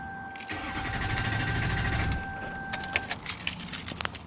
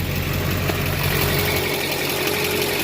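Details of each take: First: Duramax LBZ diesel after a fuel filter change to a CAT filter with aftermarket adapter, fuel system not yet bled or primed: about 1.5 s of low cranking over a steady chime, then it stops turning without firing; crank no-start from unprimed fuel. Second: Duramax LBZ diesel truck after a Cat fuel filter change with an aftermarket adapter, no leaks: steady, even idle with regular low clatter and no misses or surging; runs clean.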